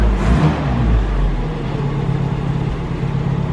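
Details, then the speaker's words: 1972 Opel GT, 32,000 miles, revived after decades in storage, idling in neutral: deep, steady rumble with an even low beat, no knocks or misses; sounds strong and healthy, though they suspect some carbon buildup. "that Idol it sounds a hit strong but it's it's strong"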